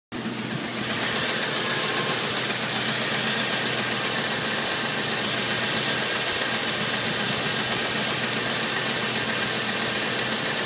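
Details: 1987 Chevy 350 TBI under load: steady hissy engine roar with faint quick tapping about four per second; knock, source unknown.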